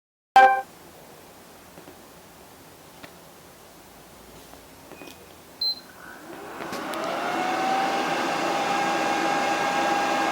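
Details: PS3 running Rebug 4.65 at power-on, which happens every startup: quiet clicks, then a whooshing whine climbing in pitch and loudness as the fan runs up hard, while the light blinks yellow and green before turning green; no problems in games.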